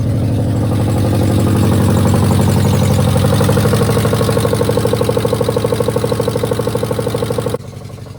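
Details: 2009 Subaru Forester X, naturally aspirated EJ253 flat-four, idling just after an in-car valve clearance adjustment: a smooth, even idle pulse at a steady beat with no ticking or miss before shutoff. Some smoke is burning off from valve cover work; a normal idle.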